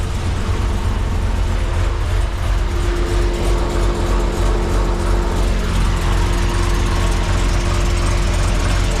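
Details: Holden VX SS Commodore V8 with home-rebuilt 4L60E automatic, after running through all gears, during leak check underneath; deep steady idle, no knocks, ticks or surging; healthy.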